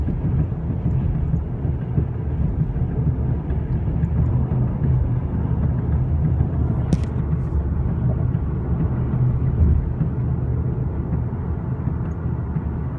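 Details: 2013 VW CC R-Line driving with a steady, deep droning tire rumble; cause of the tire noise unclear.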